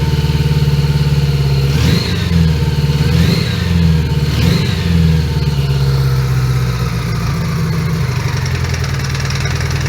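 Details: 1980 Honda GL1100 Goldwing, stone cold at about 3°C, carbs recently cleaned and overhauled and probably out of sync: the four-cylinder idles unevenly with wavering rev blips and a lumpy, unsteady beat. Rough idle; owner suspects unsynchronized carbs.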